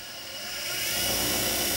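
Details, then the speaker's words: Axminster Precision Pro Pen Lathe (trade range), 375 W motor (owner thinks brushed): smooth steady hum with soft hiss, no knock or rattle, run at full speed 3,600 RPM then turned down to 400 RPM; normal running. "that's it at full speed now, 3,600 RPM. And that's down to 400 there."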